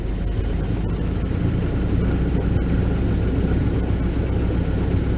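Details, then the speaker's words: Van just fired up: deep idle that sags and wavers unevenly, trying to stall; rough running, owner says it needs an overhaul, cause not pinned down. "It's trying to die a little bit. I think it's running."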